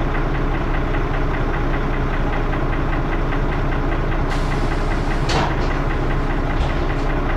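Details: First Manchester Dennis Arrow bus 31923 (P423PVW): loud diesel idle with a heavy, somewhat uneven knock about twice a second and harsh thrash underneath; the cause of the knocking is unclear.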